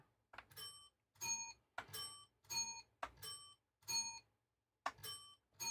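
About eight clear bell dings at roughly one-second spacing in a quiet room: the occupancy bell is working normally.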